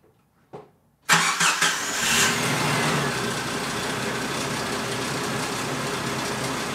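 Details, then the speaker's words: Jeep Cherokee XJ on its first start-up after frame repair and new parts: it cranks, catches and idles with an uneven light slapping tick. The owner thinks it comes from the bottom front of the engine. "Alright, so I was hoping I wouldn't hear any abnormal noises, but we definitely have something kind of weird. I don't know if you guys could tell with the camera mic, but it seems like it's coming from the bottom of the engine in the front more than the top, but I could be mistaken."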